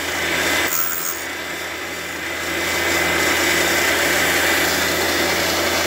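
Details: Fordson E27N valve job, valve refacing grinder at 44.5° with coolant on: even light grinding hiss with soft steady rasp; stone just kissing the valve face, cutting normally, little material left.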